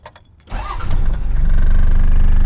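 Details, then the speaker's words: 1991 Toyota LandCruiser PZJ70 with 1PZ 3.5 L five-cylinder naturally aspirated diesel, 5-speed manual, 24 V, 354k km, cold morning start: glow-plug clicks, then it catches within half a second into a steady, even idle; normal cold start. "this is a cold start on Friday morning just did a quick walk around so we've got uh you can hear the glow plugs"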